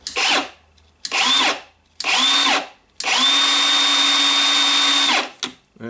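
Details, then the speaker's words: Milwaukee M18 cordless circular saw after replacing its failed switch. Three short trigger pulls and a two-second run each give a clean, high whine that spins up and down evenly; the motor runs healthy. "as you can hear it up and running"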